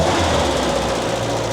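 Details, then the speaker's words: MG Midget after winter hibernation, just started and not yet warmed up, with the fan-contacting thermostat wire pulled clear: a smooth, steady low idle with an even beat and no rattle or misfire. Healthy normal idle. "Running like a dream. It's never started that well ever. Sounds really good, isn't it?"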